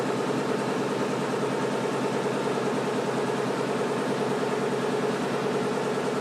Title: Washing machine making noise